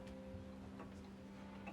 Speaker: And that sound, it's gorgeous, isn't it? I mean, I know it's simple, but to me, it just means so much.